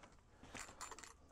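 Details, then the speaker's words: GE Supra lock box jammed shut, shackle stuck out, handled: light metallic jingling in uneven bursts like a loose key inside, suspected key put in the wrong slot; cause not confirmed. "can hear a key rattling around, which I feel like last time when I had this happen didn't happen."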